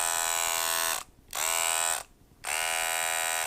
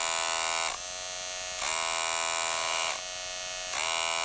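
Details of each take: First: Wahl Detailer hair trimmer running loud and harsh and not cutting, heard in three short on-off bursts; the cause is a broken spring retainer letting the spring rattle. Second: Wahl Detailer cordless hair trimmer running normally, as it should sound, with a steady, even high-pitched buzz and no rattle or grinding; reference against a unit that runs loud and won't cut.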